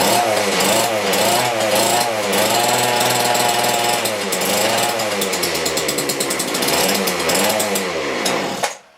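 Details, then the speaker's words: McCulloch two-stroke grass strimmer rescued from the tip 5 years ago, on year-old stale petrol with compressor oil mixed in: raspy high-pitched buzz revving freely about nine seconds then cutting out; running fine. "Yes! Right, okay. Well, that was quite successful, I'd say."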